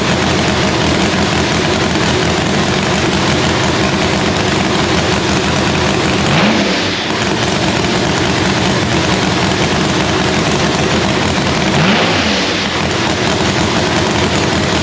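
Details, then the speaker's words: Lexus engine at its first fire-up after a rebuild with new parts, assembled with assembly lube and valves set cold. A strong steady note with two clean throttle blips rising and falling; healthy, running fine. "It was me and Kyle, but we got it all hooked up. See, it's running. Everything's good."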